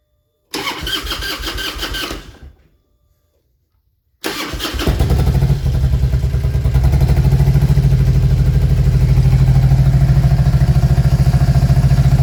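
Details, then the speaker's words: 2000 Harley-Davidson Road King V-twin: cranks, catches briefly and dies, restarts into a lumpy, uneven, rough-running beat. "If I give it a little bit of gas, it'll go ahead and let it start, but it's still running really rough."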